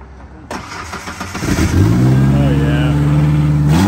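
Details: Ford Ranger pickup, battery kept on a tender, weak alternator, started before an oil-replacement test: short crank, then the engine catches quickly and settles into a smooth, even idle with no knocks or misses; healthy.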